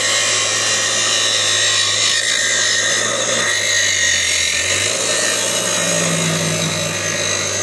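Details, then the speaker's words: Angle grinder grinding roughly 1/8 inch off angle irons for a Northern Tool cart: a steady, shrill high-speed whine with gritty cutting noise. The disc has slid down and runs out of balance. "and you'll hear this sounds out of balance because the damn disc slid down"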